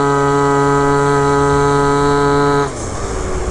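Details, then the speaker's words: Malaguti F12 70cc scooter on the stock spring; a flat buzzy note under load that never climbs. Sluggish acceleration; owner suspects rollers too heavy and wants 5.5 g. "it's like it's still too heavy at rollers i think it really does need five five"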